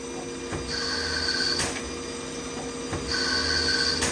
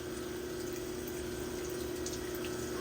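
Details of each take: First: CNC lathe threading a Tikka 22 Creedmoor barrel at 1,000 RPM, 20 passes then a skim pass: high thin ringing in bursts about every 2.5 seconds, once per threading pass; light tool chatter, judged not a big deal. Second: CNC lathe chambering a Tikka barrel in 22 Creedmoor, reamer feeding slowly with coolant, later at 500 RPM: smooth steady cutting tone with no squeal or rattle; no chatter.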